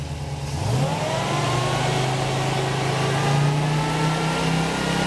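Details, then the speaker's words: Engine with newly installed Holley Sniper EFI and Dual Sync distributor, ECU controlling timing, static timing set to 15 degrees: catches within a second, revs rise smoothly to a steady fast idle with even rumble; normal start and fast idle. "Go ahead and try to start it. Go ahead and bring the RPM up a little bit."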